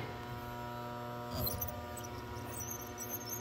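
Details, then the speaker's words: Goodman furnace at -2° outside: exhaust inducer fan hums with faint high squeaks, barely turning and failing to start; bearings shot, motor needs replacement. "you can hear the squeal so the bearings are shot so it's time for a replacement what a bummer"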